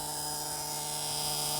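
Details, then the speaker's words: 1978 Bluebird 31 motorhome with Caterpillar 3208 diesel V8, unstarted 3–5 years, at key-on with engine off and air pressure zero: steady one-pitch dash buzzer, which the owner thinks is probably the oil pressure warning; unconfirmed. "we got buzzers uh air pressure of course is zero we're not running that's probably an oil pressure buzzer"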